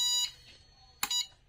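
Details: Luminous Shakti Charge 2250 inverter PCB, 24V double-battery model, on 24V DC bench supply: a couple of short high-pitched beeps at switch-on then quiet; normal power-up chirp, after which mains and charging were accepted.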